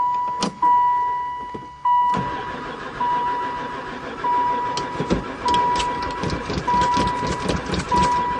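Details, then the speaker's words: Van sitting about four years, battery fitted and gas added; starter cranks in an even churning rhythm about one beat per second but never fires; crank no-start, owner suspects no spark. "Don't seem like it. Never fired once."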